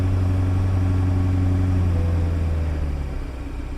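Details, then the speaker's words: Flooded Copart twin-turbo V12 Bentley at first start, check engine light on, power steering gone: deep, steady, even idle hum with no misses, knocks or rattles; idles great. "It idles great."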